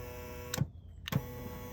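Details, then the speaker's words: 2011 Toyota Camry power window motor tested directly through the switch (auto-down mode not yet working): it runs briefly with a clean thump at each end of travel, no grinding or straining. Motor judged good. "I would say this is a good motor unless you're having a momentary problem with it"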